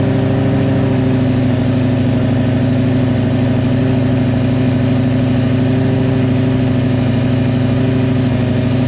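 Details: 2004 Lamborghini Gallardo V10 idling with new test pipes and Supersport X-pipe exhaust: deep, loud, even idle with a steady firing beat and no misses or knocks; running smoothly.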